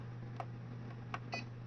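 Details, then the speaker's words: APC Back-UPS XS/RS (BX1500/BX1000) beeping in a weird, erratic pattern (three unevenly spaced beeps over a low hum) when the sensitivity button is held; it won't turn on reliably; caused by failing capacitors, not batteries, fixed by replacing them. "and you press and hold it to change the sensitivity and you'll hear it just kind of beeps as some weird pattern"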